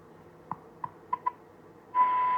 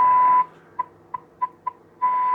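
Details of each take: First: Wrong-schematic David Andersen Type 562 valve radio after replacement tube fixed the oscillator; faint tuning clicks, then a strong clean 8/12 MHz test tone comes in twice but at the wrong dial spot; reception otherwise weak; RF/front-end misaligned. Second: David Andersen Type 562 valve radio during IF alignment, test tone injected and peaked on the scope at the speaker: loud, clean, steady tone of about 1 kHz with faint blips; IF stage now aligned and passing signal strongly.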